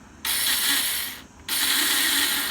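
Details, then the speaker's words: Honda Karisma (same as Supra X 125) motorcycle: two short bursts of high starter whirring with no engine cranking, as the starter motor spins but won't engage; cause identified as the one-way starter clutch in the left engine case. "Jadi, dinamonya jalan tapi enggak mau nyangkut ya. Ini dinamonya jalan bagus ini."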